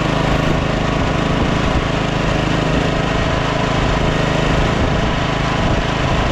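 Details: Scotts 15/42 lawn tractor single-cylinder engine, fired right up after jumping the starter, carb not cleaned: steady, even running at constant speed, no misses or knocks; healthy.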